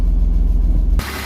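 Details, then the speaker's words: BMW E36 with the M50B25 Vanos engine, warming up after renewing rod bearings, power steering work, engine seals and all fluids. A steady, even low idle; the earlier quick ticking is gone and no smoke or leaks are seen; a normal idle. "En tout cas, vous entendez, ça fait plus quick, quick, quick, quick, quick."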